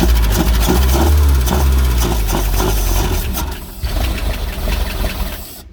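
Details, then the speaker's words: Pontoon boat engine, first start after sitting 10 years, battery going dead and starter suspected faulty: lumpy, uneven low rumble at irregular beats of three to four a second, fading out; it runs, but rough. "there you go it runs it lives battery's going dead so i'm not gonna kill the battery"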